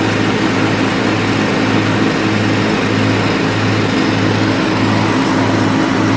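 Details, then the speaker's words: Riding mower after deck belt replaced with original part and tensioned to about an inch of play: smooth steady engine drone with blades engaged, no belt squeal or slap; normal. "And guys, if you know anything about lawn equipment, when I turn that on, you know how it's supposed to sound."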